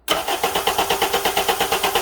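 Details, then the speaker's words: 2007 Honda Accord 2.4L four-cylinder DOHC after starter replacement, cranked via remote start with key off so it won't start: brisk, even cranking about six compression pulses a second, averaging about 130 on a relative compression test, definitely faster than before. "like i said it's averaging about 130. i can't remember what it was before but it's definitely cranking faster"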